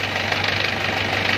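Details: Four-wheel rice-field tractor diesel idling after its cracked engine block was welded and sealed with iron glue: even, steady clatter with constant beat and no irregular knocks; normal running, oil leak fixed.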